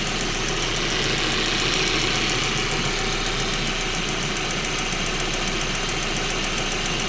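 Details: 1.8T engine at idle: quick, even light ticking about three or four per second above steady idle hum; top-end tick of unknown cause.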